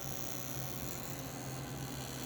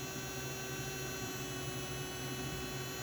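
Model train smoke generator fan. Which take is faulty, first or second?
second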